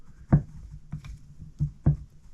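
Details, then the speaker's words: BMW R1150GS shaft-drive final drive, removed after failing on a ride, hub turned by hand: irregular dull clunks, stiff and notchy instead of smooth and free; failing final drive bearing, with loose bushings also noted. "I mean, that is really stiff to turn. It's really noty. That should spin smoothly and freely. Um, and that is what broke on the way back."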